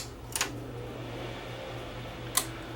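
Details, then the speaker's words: Crest Audio VS900 power amplifier cooling fan, about 72 volts measured to ground across its resistor: goes to the higher voltage first, then drops down; soft, steady low hum with no rubbing or rattle. "obviously when i kick it up see it goes to the higher voltage first and then drops down"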